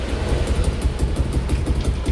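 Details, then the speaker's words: Yamaha Aerox with 62 mm top end built elsewhere, in for a noisy bottom end, just reassembled, battery 12.22 V: deep, uneven puffing chuff with each firing pulse at low idle, gas escaping at a leaking exhaust joint. "พอท่อมันรั่วนะครับพอท่อมันรั่วนะ"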